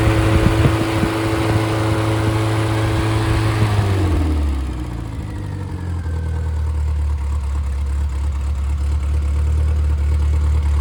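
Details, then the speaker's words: Freshly rebuilt Triumph Spitfire/MG Midget 1500 engine (FP4750UE, likely '75, double timing chain, double valve springs) on cold start, ~120–130°F, oil pressure 80: settles from fast cold-start rev to low steady even idle, no knocks; healthy, good compression. "Okay, so there you have it and this this engine checks out all the compression oil pressure is good."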